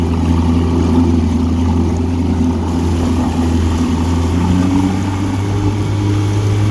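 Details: 1959 Evinrude Golden Jubilee Sportwin 10hp two-stroke outboard, rescued from a rough state, on a test run after an ignition tune-up, rebuilt carburetor, fresh water pump and a good clutch dog. Smooth, steady low drone at constant pitch, no misses or knocks; running cleanly.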